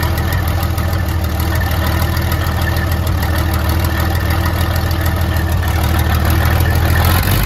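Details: 1972 Freightliner cabover diesel just fired after 27 years: heavy idle with uneven lumpy beat and occasional stumbles, not every cylinder firing yet as it clears; oil pressure around 80 psi.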